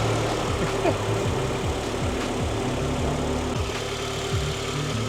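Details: 2005 Honda Accord CM7 after A/C compressor replacement and recharge with about 20 oz of refrigerant: engine holds a smooth, even idle with A/C running, no compressor squeal or rattle; all healthy.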